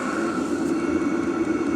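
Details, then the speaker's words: Cheap Chinese 12V diesel heater in a shed, running after the heat wrap was added: a steady, even roar with a faint high tone and no knocks or surging. The pump is barely noticeable; running normally. "yeah once that's running you can barely even hear the pump so but yeah pretty happy with this"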